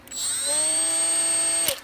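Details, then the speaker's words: Milwaukee M12 die grinder running free after teardown and reassembly: high whine accelerates quickly at start-up, eases back slightly, then holds an even pitch until switched off. Smooth, healthy motor with plenty of power. "you can hear it accelerate and then it just kind of slows down a little bit and kind of maintain speed now you can just barely make that out"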